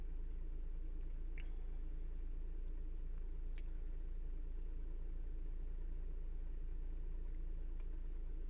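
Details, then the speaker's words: Chrysler/Dodge/Jeep-line engine, cold, after an intake gasket vacuum-leak fix (P2173, high airflow). Idle near 750 rpm as it reaches temperature: a quiet, steady, even low hum with no hunting or surging. The previous daily 1300 rpm surge and fault near 1000 rpm are gone. "ya está llegando a su temperatura a sus rpm normales debe estar como entre 750 aproximadamente"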